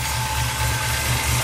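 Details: Reassembled 350 V8: steady even idle, smooth low rumble, no knocks or misses; one side slightly noisy, valve adjustment needed; otherwise healthy.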